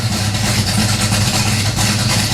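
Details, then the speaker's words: 1970 Pontiac LeMans, slightly warmed-over 455 V8 with about 1,000 miles on its oil, cold idle with 60 psi oil pressure. Deep, steady idle with an even, lumpy beat and no knocks or ticks. Healthy cold idle. "all right we're good god i love how that car sounds step one complete"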